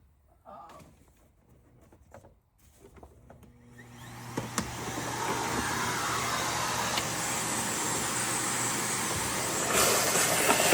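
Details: Hoover WindTunnel vacuum motor: a harsh, rough, high-pitched roar spins up and holds, gritty and uneven throughout. Worn bearings and a damaged commutator; the motor is finished.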